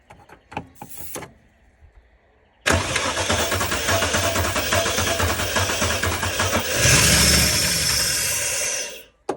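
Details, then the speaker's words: Holden VN SS Commodore paddock find, long stored, stale fuel, oil and water present, cold: a few clicks, then it catches and runs ragged about six seconds, flares and dies, running only on starting-fluid vapors; ignition works, fuel supply suspect. "Okay, so obviously it was only running off the Newlon Start Your Bastard vapors, but that is a massive win."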